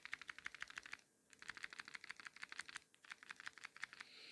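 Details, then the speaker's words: Samsung Galaxy S25/S25 Ultra shaken by hand: light, crisp ticking rattle in quick bursts near the camera module, caused by the optical image stabilization (OIS) floating lens moving freely; completely normal, not a hardware defect. "don't worry this is completely normal so it is normal to that sound so why does the camera Rattle and make the sound the rattling noise is caused by the optical image stabilization OS system which helps reduce blur and improve photo or video stability"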